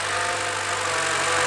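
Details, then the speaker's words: 2013 Chevy Cruze running with its drive belt removed; the battery is possibly weak from repeated attempts. It starts and holds a smooth, even idle hum with no knocks, squeals or misses. "so I guess the battery might be a little bit weak now after trying to start it all those times but um we hear now that it's starting"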